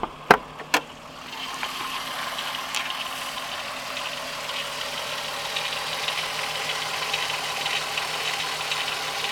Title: 12v VR6 Ticking/Rattling Noise